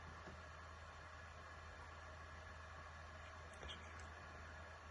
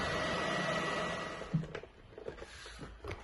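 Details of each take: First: PS4 Pro after the thermal compound was redone, following jet-engine fan noise: only a faint, even airy hum with no rising roar; the fan is audible but much quieter than before and running normally. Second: PS4 Pro running Horizon Zero Dawn at about 44–45°, after an earlier thermal paste change; loud jet-engine fan rush that suddenly drops off, then small clicks; owner suspects thermal paste spread off the chip, causing overheating.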